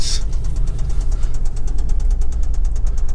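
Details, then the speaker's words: Toyota 22RE or 3VZ engine idling rough: fast, even knocking about seven or eight raps a second; owner calls it rod knock he will fix soon. "that's so bad uh that's that rod knock that i'm gonna do here pretty quick"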